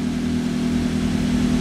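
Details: Toyota Avanza/Daihatsu Xenia, previously with an unstable idle and check engine light on, now after repair with the lamp off and rpm down from over 1200: a steady, even idle with no misses or hunting.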